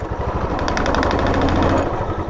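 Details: Royal Enfield Classic single: hard, rapid phat-phat knocking over the thump when taking pickup under throttle, not heard otherwise; abnormal knock, cause unclear.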